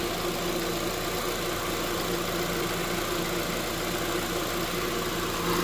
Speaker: It will engage the AC clutch when it reads pressure on the system. I can see the AC clutch is spinning now, so it's working good.